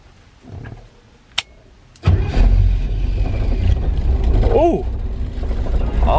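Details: 1968 Firebird V8 with newly wired ignition and a replaced, cleaned positive battery terminal. Short crank, fires immediately into a deep, low rumbling idle; idle is low and the owner suspects a slight misfire.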